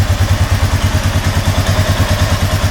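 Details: 2007 Honda Rubicon 500 ATV warming up after an oil change with 4 quarts in: steady single-cylinder thump, about nine beats a second, even and clean with no clatter or misfire; healthy idle.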